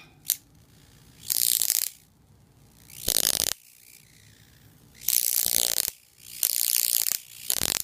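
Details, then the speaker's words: Homemade ion chair on a 120 V oil-burner ignition transformer (10 kV, 23 mA) feeding a voltage doubler for 20–30 kV DC: shorting the top with the ground lead gives repeated half-second hissing crackle bursts, high-voltage arcing. "If I come up to the top, same ground lead, I short it out up here, you can hear it squeal."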